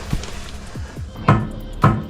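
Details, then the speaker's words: Knock under a Golf Mk4 estate 2.3 VR5 while checking subframe bolts and engine mounts by whacking them: several dull, separate clunks about half a second apart, sounding like a loose knock; cause suspected, not confirmed. "It's making a noise. You hear, that sounds more like a loose knock-in."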